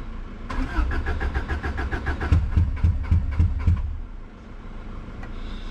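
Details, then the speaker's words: Subaru Impreza that sat a while and now won't start, cranking: starter churns steadily about three and a half turns per second with a few weak catches but never runs; owner suspects misfire, spark plug wires or fuel pump. "this is definitely got a misfire"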